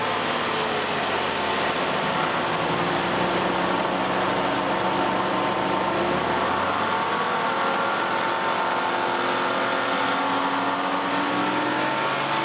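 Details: 2008 Nissan Elgrand E51 (ME51) 2.5L, about 90,000 km: with AC compressor engaged, wavering whine drifting in pitch over engine note from around 2000–2500 rpm; present about three years, none when compressor off; source unclear.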